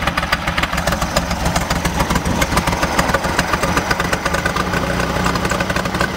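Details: VW 1600 dual-port engine with rebuilt, rebushed Solex 34 PICT 3 carb, new SVDA distributor, cap, rotor, wires and plugs: lumpy idle with uneven popping and stumbling like popcorn; rough idle, cause not yet found.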